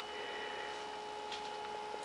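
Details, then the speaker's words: 9-watt circulation pump in a cold-climate direct solar hot water system with night recirculation, pumping over 1 gallon per minute at 2:30 pm, tank bottom 139, collector 50; faint steady hum with fine constant tones, no knocks: running normally. "we've got a 9 watt pump from tops flow you can probably hear it"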